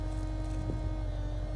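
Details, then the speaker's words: A steady, fairly high fuel pump whine over a low idle rumble, which the owner says is on its last legs; loud fuel pump whine. "That is on its last legs."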